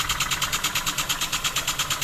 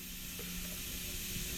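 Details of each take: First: Homemade wig-wag model steam engine on first run, driven by compressed air at under one bar, still needing running in: even, crisp air puffs about three per second, steady with no knocks; normal running. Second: Model wig-wag steam engine on air, first-ever start: pressure slowly introduced with the valve open gives a steady hiss of escaping air with barely any engine beat; bubbling at the valve face suggests a leak there before it begins moving.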